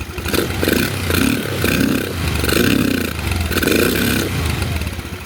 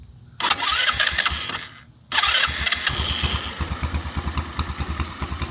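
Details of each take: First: SunL Chinese 150cc GY6 quad after swapping tank and fuel lines and a fresh battery: rises and sags in uneven surges about once a second, stumbling as revs climb; idle fine but bogs higher, carb high-speed jet suspected, not confirmed. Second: SunL 150cc Chinese quad with a GY6 engine, stored about four years, after a tank and fuel line swap and a fresh battery, started by jumping the solenoid: two starter whirs, then it fires and settles into an even putter; the carb still needs cleaning.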